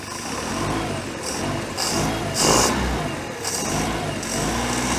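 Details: 1973 Larson boat, Mercruiser 120hp 2.5L warming up with choke opening fully: steady low rumble smoothing slightly as it warms, with splashing noise over it; idle healthy and even, running like a beast.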